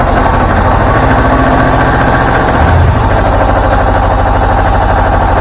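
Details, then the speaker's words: Deutz 1011 two-cylinder diesel on air compressor after repair, fuel system not bled: firm, regular chatter at steady idle, no misses, hunting or smoke; running smooth and healthy. "no smoke nice and smooth sounds good"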